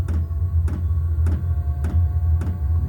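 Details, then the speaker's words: New diesel heater in a garage at first start-up, warming up to temperature: low steady fan drone with even fuel-pump ticks about twice a second; normal running. "And uh it takes it a minute or two to get up to temperature, but once it gets up to temperature, boy does it belt some heat out of that vent."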